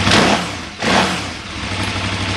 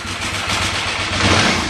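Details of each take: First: 2008 KTM 990 Adventure in neutral, three bars on temperature gauge, gear switch disconnected: quick throttle blip, revs settle back to an even 1450 rpm idle with no knocks or misses; sounds normal despite slight dip. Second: 2008 KTM 990 Adventure after reconnecting the neutral/second/third gear switch and restarting: lumpy, wavering idle struggling to settle; bike normally won't idle in gear under load.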